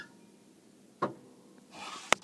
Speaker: Right now you're supposed to hear the solenoid, and if I click the glow plug button in, you should hear it.